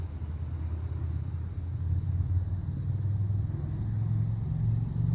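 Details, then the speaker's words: 2005 Honda VTX 1300R V-twin, stock exhaust with first baffle drilled (about five 3/8-inch holes), before Cobra slip-ons and rejet, cold start at about 15–16°F: low lumpy burble building gently, no knocks or ticks; normal cold idle. "Want to hear the sound of it prior to the work, and then we'll come back after we put on the Cobra slip-ons and do the jet work."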